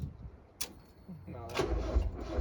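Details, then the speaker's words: NA Miata after installing an ISR 340LPH fuel pump, cranking with fuel primed: sluggish labored cranking fading as battery dies, with one sharp pop; battery dead and apparently over-fuelled, backfire. "yeah battery's dead now no way yeah that's did you hear that pop yeah one time right when that's a lot of fuel bro"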